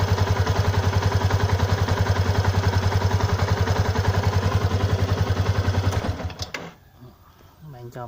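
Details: Stock Yamaha Exciter 150 at 8,147 km, coolant untouched for half a year: steady quick chuff with a light tick, then cuts off; owner unsure whether tappet or clutch noise; cause not confirmed.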